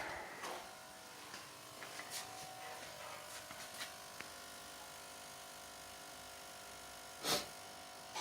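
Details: Nissan QG18DE with ignition on and engine off: steady fixed-pitch electrical buzz from the transmission area; stops when the throttle position sensor is unplugged; with the engine running it occurs only in D, 2 and 1, not in P, N or R.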